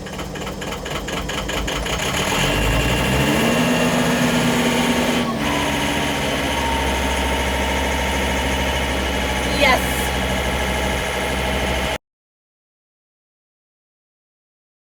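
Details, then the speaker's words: Tractor finally started after three hours and some ether, being readied to rake a rained-on hay field; diesel catches after a labored crank and settles into a steady, even idle with no knocks or misses; normal idle. "i didn't blow it up and i didn't start it on fire so those were the two options that would have been really bad but you never know so we got it going i'm gonna just let it run for a bit"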